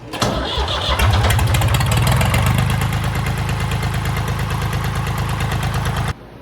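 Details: 1968 Ford 4000 diesel tractor, first start after a new generator, regulator and fuel filters, with the fuel system bled: quick crank, catches at once and settles into a steady, even diesel clatter with no misses; normal start and idle.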